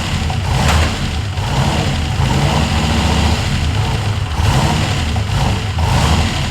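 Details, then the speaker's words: Ford F100 with swapped turbo LS1 V8, restarted during first start: deep, uneven, lumpy idle that surges and sags. It runs rough; the owner suspects a vacuum leak or needed tuning, not confirmed. "well it runs but kind of disappointed it seems to kind of run like crap i'm not sure if i got a vacuum leak"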